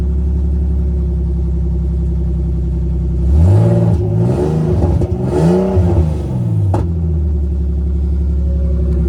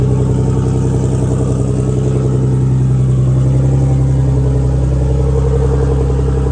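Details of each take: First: Big-turbo BMW E46 on a new tune, warm, open downpipe with no exhaust; engine blips up and settles back to steady idle, with extra rasp on the rev from a wastegate held on but not tightened. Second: Big-turbo BMW E46 on a new tune, open downpipe with no exhaust, close to operating temperature; deep, steady idle with an even beat and no hunting or misses, idling smoothly once warm.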